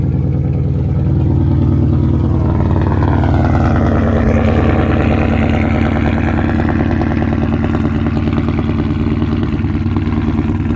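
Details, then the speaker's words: 2012 Ford Mustang GT after new plugs, coil packs, O2 sensors and MAF, codes cleared, cold start, about 19 miles to empty: steady low idle with occasional faint stumble; slight misfire remains, possibly low fuel, much improved. "So, it's still got a little skip. Uh, you know, that could be because it's only got 19 miles to the gallon left or 19 miles to E."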